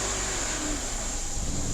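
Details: Honda CR-V with a fuel system problem, after the fuel pump was heard running at the tank: the engine catches and revs up firmly with a full, even roar, no stumble or misfire.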